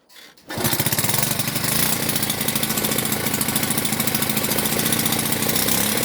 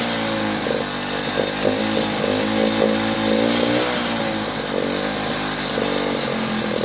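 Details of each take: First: Delta moped after resetting the choke flap, owner thinks it had been moved the wrong way: catches and settles into a fast, even two-stroke buzz with steady crackling pulses as throttle is opened; runs cleanly. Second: Delta moped, plug cleaned, choke flap set to middle: uneven, wavering two-stroke buzz that stumbles and surges; owner hears the plug sooted again, most likely from fuel that sat for months.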